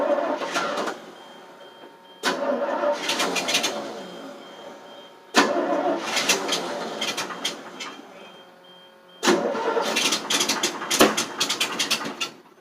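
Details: 1988 FMC 6000 with 5-speed, battery on booster, cranked with the clutch in: four separate bursts of cranking, each a few seconds, and the engine never catches. Hard start because no fuel was reaching the carburetor.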